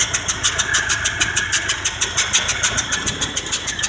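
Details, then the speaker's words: 1978 Ford F-150 302 V8 with a carburetor, idling for about 30 minutes on a cold day with no thermostat fitted. Sharp, even ticking puffs about three per second; the owner suspects a blown head gasket and earlier thought it an exhaust leak. "and then I'll show you why in a second we'll run it why I think it's got a bloody head gasket"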